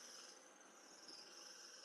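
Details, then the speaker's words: Robot vacuum, exact model unknown: a steady, thin, high-pitched squeal over a soft hiss while running; cause suspected, not confirmed. "Do you hear the squeaking of this thing at all or is it just"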